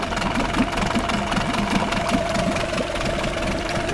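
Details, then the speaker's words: Nissan 8 hp two-stroke outboard, possibly 1998, revived with new impeller and repairs, on premixed fuel: steady even burble at low speed with water flowing, no misses or knocking; healthy idle. "I mean, if you buy a used two-stroke motor that claims to be running, it should run like this at low speeds, no problems."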